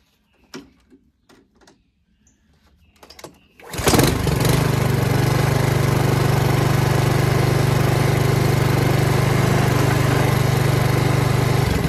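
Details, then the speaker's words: Honda HRX217HYA mower, under a year and under 5 hours of use, after replacing the failed auto choke part: starts on one pull and settles into a smooth, even run with no stumble. "So starting was an issue with me. Now it starts one pull. It should start."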